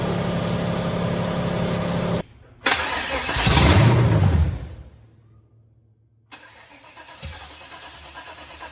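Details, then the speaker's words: 1972 Chevy Suburban with a brand-new crate motor and transmission, on its first start attempt: a quick, even cranking churn for about two seconds that never catches; fuel is suspected not to be getting through. "Oh, I don't think I'm getting gas. Why are you not getting gas, baby? Why are you not getting gas?"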